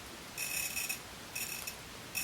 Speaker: that little bit of a grinding sort of sound? It's very uniform as I press and turn.